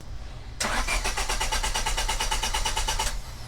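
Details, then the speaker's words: 1999 Honda Civic with a no-start. The starter chugs steadily at about three per second with no catch. The main relay behind the glovebox is presented as the most common cause, fixed by resoldering. "have you ever had a civic that has a no start issue"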